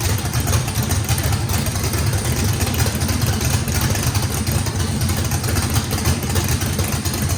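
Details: Brand-new race motor with a radical camshaft at its first fire-up, with big overlap and lobe separation; the throttle blade is about 6% open for idle. Deep, choppy, loping beat, steady with no misses; healthy normal lopey idle.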